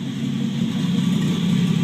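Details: 1949 Chevrolet Deluxe 4-door, first run of a replacement engine swapped in for the locked-up original, no exhaust fitted. Loud, raw open rumble at steady idle with no misses or knocks; runs fine, normal idle.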